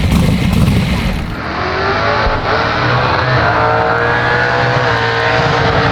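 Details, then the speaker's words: Drag-race Ford Falcon big-cam V8 revving with a rising tone over a rough, uneven rumble; noise is in the engine and follows rpm, suspected loose or missed valve adjustment (valves set loose at 22 hot), unconfirmed. "it's definitely in the engine I can hear it with RPM it's something"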